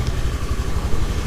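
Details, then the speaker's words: Honda Beat injection scooter, after repair for stalling when hot (problem traced to the piston), final sound check after about a 20 km test ride with no issues: low, even idle putter with no knocks or rattles, running smoothly. "Eh untuk suara mesinnya seperti ini teman-teman ya awalnya memang dia datang halus Harusnya kalau sudah digunai tambah halus"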